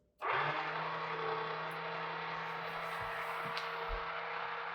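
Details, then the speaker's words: Jenn-Air/Whirlpool refrigerator JS48SEDUDB00 ice dispenser tested after clearing an ice jam, with the ice maker removed so no ice: ice motor gives a steady, even hum with no knocks, clicks or grinding; door working perfectly. "It's working perfectly, worked silently. You can see it working there. You can just barely hear it. It's just barely audible."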